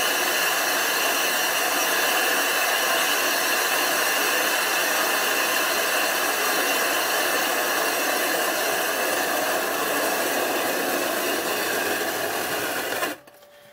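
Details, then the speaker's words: 25-inch F3 telescope mirror blank, back being ground flat after thinning from 2 in to about 1⅝–1¾ in, on a grinding machine at about 45 RPM with abrasive. A steady hissing howl with a rhythmic scrape about four times a second: normal grinding howl. "you want to hear that howling grinding sound if it's not howling it's not grinding"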